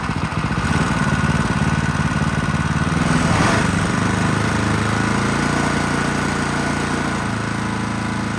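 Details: Champion log splitter engine rebuilt after water damage that left the valves and piston rusted and stuck: starts first pull, small single putters at a steady beat and settles smoothly after a slight rev, no knocking or smoke; runs healthy.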